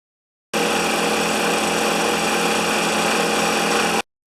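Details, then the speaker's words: Honda GX160-powered wheelbarrow air compressor, customer suspected governor fault; after starting and pressurizing it returns to idle and waits for air use before kicking back on; steady, even engine hum with no stumble, knock or surging, running normally. "After it starts up and pressurizes, it goes back to idle and it sits there and waits for you to use air and then kicks back on again and so forth."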